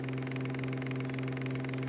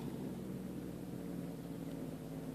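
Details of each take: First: Homemade electric hub motor test, running about 4 volts at 4 amps, magnets only taped down: steady electric hum with light, fast, even clatter each turn as loose rotor magnets knock against back iron. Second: Homemade electric motor assembled from laser-cut aluminum parts, rotor spinning: a quiet, even whir with no scraping or catching. It spins smoothly, though cogging torque is affecting the motor.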